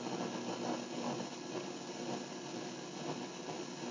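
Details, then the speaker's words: MacBook Pro running Snow Leopard with an external monitor: steady hiss with fluttering crackle rising and falling with graphics activity, same level at any volume, even fully down; audio static from graphics card interference, worse since a previous repair. "you can hear the graphics card is generating sound that's being fed out of the the audio um it doesn't matter what the volume is you can see that the volume it's the same am of static it's the movement the graphics activity that's causing the sound"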